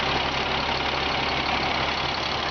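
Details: 1998 Freightliner FL80 grain truck diesel started from the cab, hood open. Steady, even diesel clatter at idle with no misses or surges. A clean, healthy engine with no blow-by at the dipstick.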